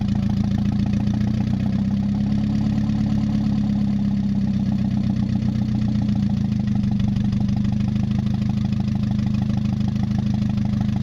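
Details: Mazda 626 first start after cylinder head reassembly, warming up at really low rpm: loud low idle with a slightly wandering, uneven beat; rough fluctuating idle, owner suspects bad EGR or old gas.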